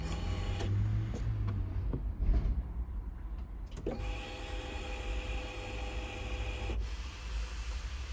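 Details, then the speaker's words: Fiat 500 after fitting a secondhand petrol pump, key on: steady electric pump hum for about three seconds then stops cleanly; priming properly now, whereas the old pump only clicked, confirming the pump was the fault. "so yeah you can clearly hear it priming proper now so that definitely was the issue"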